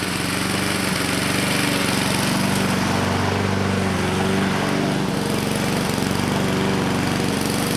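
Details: 2014 Husqvarna HU700F self-propelled push mower, Honda GCV160 single-cylinder engine, after a carb clean: steady, even governed speed with no hunting or surging; sounds healthy.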